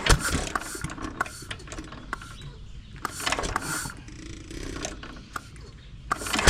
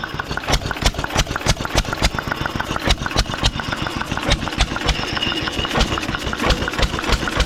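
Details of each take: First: 1920s Taylor Model B hit-and-miss vacuum engine, long unused, started on choke with old bad gas: irregular sputtering pops with uneven gaps, struggling to keep a steady beat; cause suspected, not confirmed. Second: 1920s Taylor Model B hit-and-miss vacuum engine, long unused, restarted after fuel work, choked to burn old gas; loud uneven chuffing bangs at slow irregular pace through noisy muffler, running on its own, steaming in the heat.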